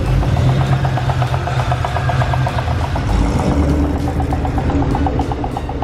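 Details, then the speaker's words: Twin-turbo 5.2L race engine rated 2,000hp, knocking since its very first pass: rough idle with a steady fast tick about four per second; cause not yet pinned down. "well on the very very very first pass that the car had ever made it started knocking"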